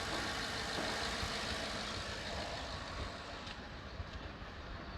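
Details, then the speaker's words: 2014 Ford F-150, crank-no-start fixed by replacing blown 20 A fuse number 20 (module supply): soft, steady engine hum, even and gradually quietening, no ticking or rough beats; normal running. Overload from module or pump suspected. "Fuse niya number 20 sa module supply. So start na. Narinig niyo andar."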